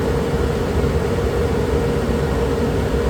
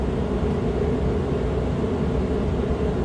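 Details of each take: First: Suburban propane furnace in a Dynamax RV, heard through the open return air grill before sound panels are fitted: a loud, steady blower roar with a constant hum on top. Loud furnace blower noise. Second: Suburban propane furnace in a Dynamax RV, heard from the back bedroom after acoustical sound panels were placed in front of the furnace behind the return air grille: steady even burner and blower roar with no rattles or surges; smooth, quieter normal operation.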